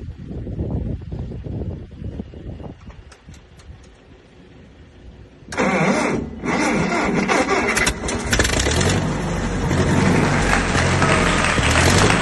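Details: 1959 Massey Ferguson 85 tractor, not run in 5 years, after new points, a cleaned carburetor and a new solenoid: slow starter churning for a few seconds, then it catches and settles into a steady, even run.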